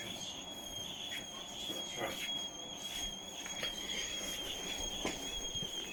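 Constant high-pitched squeal holding one pitch throughout, with light rubbing and clatter underneath; something dry is squeaking, cause not clear.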